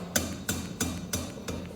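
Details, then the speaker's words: 2003 Chevy Tahoe front hub spun by hand gives a regular knock about three times a second, once per turn, very noisy versus the solid other side: worn front wheel bearing, to be taken apart. "right there it's very noisy so I'm gonna take it apart and see what's the damage"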